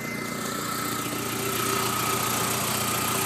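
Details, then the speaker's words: Volkswagen Jetta Mk4 2.0 petrol at idle, door open: quick, fairly regular puffing tick with thin hiss from an exhaust leak, exhaust smell; owner also worries about a separate engine rattle. "engine doesn't sound too horribly bad at all except for that exhaust leak"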